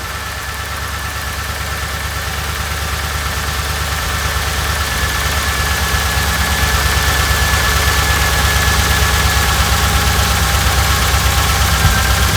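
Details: 1988 Dodge Ram W150 4x4 with TBI injection, first run after long storage with fuel gauge below empty. Steady idle with a light, even tick near three per second, gradually picking up; nothing abnormal, noise normal for this engine.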